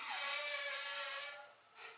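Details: Hustler Raptor/BigDog Alpha zero-turn mower, steering lever pushed back to reverse: sharp, high squeak about a second; squeaking, sticking steering stick that does not self-correct, source not yet located.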